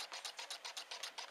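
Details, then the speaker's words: Newman pulse motor on nearly dead batteries with capacitor, two coils alternately firing on horizontal magnets: even sharp clicks about six or seven a second, running slowly; weak battery supply. "see the back spikes a lot of times it'll go over the voltage and that's the back spikes now it's not running real fast and"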